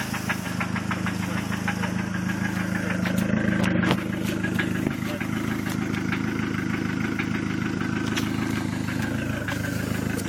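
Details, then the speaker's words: Dodge SRT-4 engine at low idle with a steady knock about two per second through the engine hum; sounds like rod knock, suspected, not confirmed. "You know what that mean, right? Yep, that's a rod knock."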